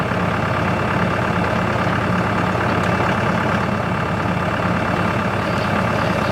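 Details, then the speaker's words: CountyLine PTO post hole digger on a tractor, first use, 6-inch auger in hard clay; even steady diesel drone with the auger under constant load, no clunking or slipping. Working properly; clay clumps fall back into the hole. "we got some really hard clay at my property here the big clumps of Claire or sticking together and our falling back into the hole other than that works pretty good"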